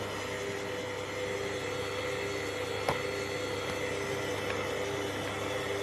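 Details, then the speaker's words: Kenwood kMix 500 W stand mixer with K-beater and an overfilled 5-litre bowl; steady mid-pitched whine over a low hum as the motor labours; motor strain from overload. "The bowl is overfilled here. And this machine with this capacity in it whines."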